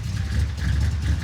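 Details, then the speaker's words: Junkyard 1957 Chevy running from a used fuel cell in the trunk after rusty factory tank: deep, lumpy rumble surging and sagging, won't take throttle; no fuel in filter, pickup in the cell suspected bad. "it won't it won't take it I don't think there's any fuel in it I'm a little confused at this point"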